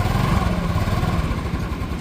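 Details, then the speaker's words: TVS Jupiter scooter after a clutch repair, once broken metal pieces and worn clutch rubbers were found and the housing was washed and refitted. Smooth, even low putter with no clutch-side rattle. Normal running. "आवाज बिल्कुल देखिए एकदम कल से। तो ऐसे इनकी silent आवाज आ रही है।"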